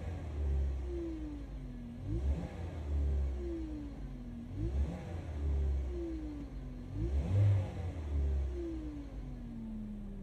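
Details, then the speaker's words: Great Wall Florid 1.5 VVT engine blipped three times: a clear whine climbs and falls with each rev. Possible causes offered include the gearbox running low on oil; cause unconfirmed. "عندنا اليوم في الوليد السيد هذا راه يشتكي من الحس هذا يزيد كل ما طاكسي ديالي يزيد."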